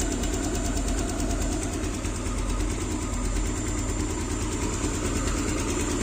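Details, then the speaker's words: Yamaha Aerox scooter just after camshaft replacement (old cam had lost its gear pins), smooth steady idle with an even fast pulse; a hiss came from the uncapped tensioner opening and stops when covered. "Nah, suaranya udah halus lagi. Semuanya udah oke guys."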